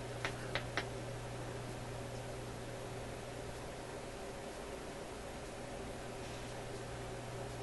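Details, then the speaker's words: Newcomb TR-1656-M tube record player amplifier, warmed up at high volume, run with one amplifier tube pulled while chasing a rushing noise. Only a steady low mains hum and faint hiss, no rushing: quiet, so the noise is ahead of or in that tube. "it's pretty quiet now that sound didn't come on right away the last time okay we'll check it again here no sound like that"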